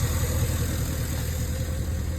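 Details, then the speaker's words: 2011 Cadillac Escalade 6.2L V8 with active fuel management, 178k miles, idling after Marvel Mystery Oil, Sea Foam, AFM disabler and hard freeway pulls freed a suspected stuck lifter; deep, smooth idle with no ticking, lifter tick gone. "I think I did it fellas I mean I'm still crossing my fingers that it's going to hold and the noise is not going to come back but I think I unstuck that bad lifter"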